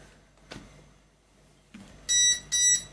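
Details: DIY Arduino RFID lock on an AC EV charging station: after a faint tap of a wrong card, two short high beeps about half a second apart as the reader rejects it and charging stays locked.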